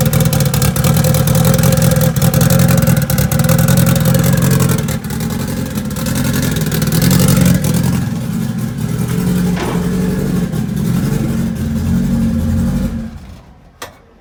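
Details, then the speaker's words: 700hp Honda Integra: engine revs with uneven, stumbling exhaust beat; dead cylinder misfire, cylinder one runner stays cold while two, three and four fire and run hot. "so that would definitely still make sense why it sounds like it's misfiring cuz it is most definitely misfiring"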